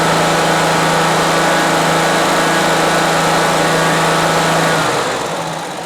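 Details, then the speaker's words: 2003 Exmark zero-turn mower, abandoned and not run for years, first start after sitting: steady even engine hum at raised throttle, then settles smoothly to a lower idle; runs cleanly, though fuel is spraying somewhere; normal running. "yeah when it's running it's running good all right let's see if we can't throttle it up a little bit"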